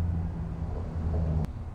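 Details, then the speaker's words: 2009 Ford F250 6.4 L diesel with a cylinder misfire, cranking during relative compression test: deep rumble with uneven beat, one stroke lighter each cycle; suspected mechanical issue, low compression in one cylinder. "it does have a cinder misfire but with this one when I try to crank it over it does not sound right so I think this is going to have a mechanical issue to this vehicle"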